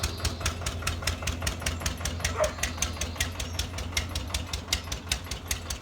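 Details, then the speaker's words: Old Winget one-ton dumper, long-stored single-cylinder Lister PH1 diesel: sharp, even knocks about five a second over a low chug, tired-sounding. Owner suspects blow-by from badly worn rings; filters long unserviced. "gonna be a blow-by on the engine so imagine the rings are quite bad on it"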